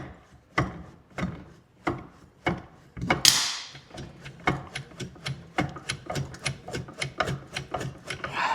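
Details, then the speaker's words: Arctic Cat two-stroke snowmobile that sat outside almost 10 years, weather-seized: stiff rasping pull-cord turnovers about every half second with no firing as the engine is worked loose with PB Blaster in the cylinders. "She's still pretty stiff. Oh yeah. I think this is going to break free."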